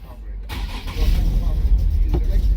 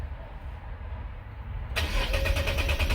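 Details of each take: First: 2013 Nissan 370Z, lower control arm repaired after an accident: the engine catches with an uneven rumble, won't accelerate, then stalls. The check engine light is on; fuel pressure and the fuel pump are under suspicion. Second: 2013 Nissan 370Z with start-stall complaint, fuel pressure tested above 60 psi: brief starter churn, engine catches cleanly in under two seconds and settles into a steady even run; normal crank and start.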